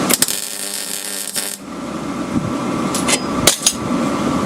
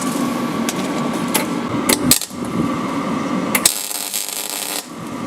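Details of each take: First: MIG welding Land Rover rear chassis repair: after some knocks, a steady even frying crackle without popping or sputtering, weld free of bubbles; normal MIG weld. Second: MIG welding a Land Rover rear chassis repair in a drafty spot: erratic, splattery popping and crackling instead of a smooth sizzle as the draft blows the shielding gas away. Weld spatter from lost shielding gas.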